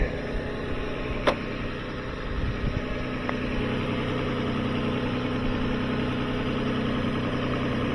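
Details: 2007 Lexus ES 350 with a recurring battery-not-charging complaint, previous alternator and battery replaced; steady, smooth idle with no knocks or misses; no voltage drop found, alternator tested good.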